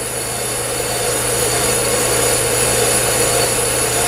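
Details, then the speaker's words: Bench brake lathe cutting a drum on self-feed: steady, even hiss and hum with no rhythmic chatter or skipping; consistent, clean cut. "let's just see make a consistent cut it's not skipping that's good news"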